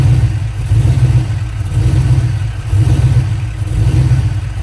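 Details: Chevrolet 5.3 V8 swap: an uneven, lumpy beat with irregular stumbles, a misfire giving a rough idle and rough running; fuel pressure is suspected, not confirmed.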